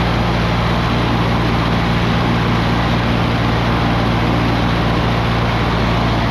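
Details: 1959 Allis-Chalmers D17 tractor after tune-up and new exhaust, carrying a plow during a hydraulics test: steady even low rumble with no knocks or misses; engine smooth and healthy.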